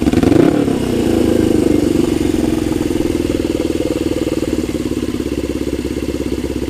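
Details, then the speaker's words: Custom Suzuki GS450 Scrambler after about five minutes running: blips rise, then drift down slowly before settling to an even idle, revs hanging on throttle return; owner suspects it might still be an air leak. "it's been running for about five minutes not just idle and I wrote on the blog hangs up hangs a little bit climbing"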